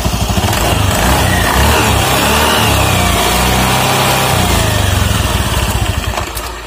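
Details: Automatic scooter, CVT cover open, after fixing a harsh noise traced to the roller housing by reusing old rollers: engine settles into a steady, even idle with the belt drive turning smoothly, no slipping, rattles or knocks; all running normally.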